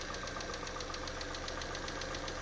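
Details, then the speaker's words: 2012 Citroen C3 White Edition after cam cover refit, idle: light even ticking six or seven a second over steady idle; top-end tapping, quieter than before, owner thinks these engines tap slightly. "You know, I think these engines, I think they're designed to have a little bit of tapping on it. I've got to be honest."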